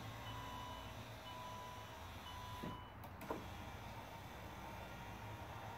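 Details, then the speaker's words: 2008 Saab 9-3 Aero, passenger rear door, after window regulator replacement, switch tested. Even motor whir for about three seconds, then a firm thump; auto down works and the window operates normally. "so the auto down works still try this switch good deal"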